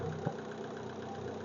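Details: MG TF 160 VVC at a steady, even idle with no knocks or misses, just a smooth low hum, on its first start after front and rear cambelt replacement and tensioning (battery flat, jump-started); the engine runs normally.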